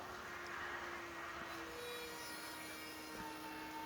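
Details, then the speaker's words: Electric fuel pump run off a battery and set to 40 psi on a DT466 diesel swapped into a Ford Super Duty, before starting; quiet steady hum with faint constant whine, no pulsing or grinding. "So I'm just using a battery here to run the electric fuel pump,"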